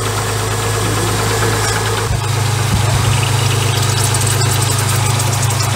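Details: MG ZS 180 with failed power steering, jump-started: steady idle with a low hum and an uneven whirring rattle; judged not the pump, a power steering hose/pipe suspected; abnormal noise at idle.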